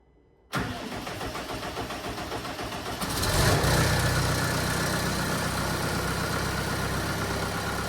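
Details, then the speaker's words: Case TR310B skid steer diesel at its 100-hour service, started after filter change (superseded part) to check for leaks; cranks and catches within seconds, then settles to a steady even idle, no knocks or misses: normal start-up and idle. "So I'm going to start it up just to make sure that everything is good."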